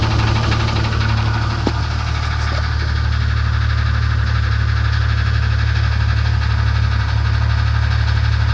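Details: 1994 Jeep Grand Cherokee 4.0 L at idle: a dull, fairly regular knock about three times a second under the low hum; engine knock, apparently internal.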